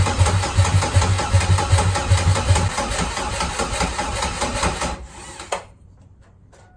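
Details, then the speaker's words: Turbo-converted Chevrolet Cavalier on its first start attempt after fuel priming: slow, even cranking at two to three pulses a second never catches and fades as the battery dies; crank, no start, weak battery, to be recharged. "I that last goal was it was just about to start but the battery just dead"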